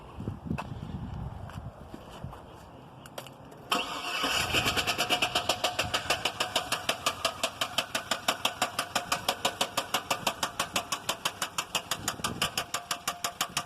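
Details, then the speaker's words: 2001 GMC Yukon XL 5.3 L V8 after a starter replacement: it cranks and catches, then a sharp, even knock of about three per second rides over the idle. Engine knock, cause undetermined. "alright here's my oh one Yukon XL with a 5.3 and this is how it sounds now since I changed off the starter"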